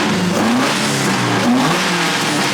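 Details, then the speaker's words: Toyota 4A-GE after cleaning dirty carburetors, jets cleaned and readjusted: crisp clean revs climbing and falling with no misfire, stumble or popping; running as it should. "now that's what a 4ag is supposed to sound like"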